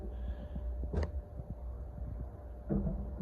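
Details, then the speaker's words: Walk-in cooler evaporator in cooling mode after a new controller install (set 34°F, 5° differential): dull, uneven thumping over a low steady hum, felt through the box; single fan inside, cause unknown. "that thumping is coming from the evaporator I've got my hand on the box and I can feel it"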